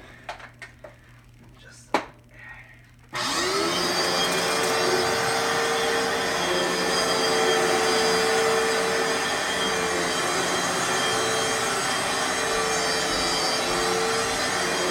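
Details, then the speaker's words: Fantom Fury vacuum cleaner with bad motor bearings and dust in the fans: steady high hum under a rough raspy hiss, much harsher than a good motor, though it still runs; worn motor bearings. "now you're gonna hear what a phantom period sounds like once the Barons have gone bad and the hands have a little bit of dust enough it's going to sound a little raw"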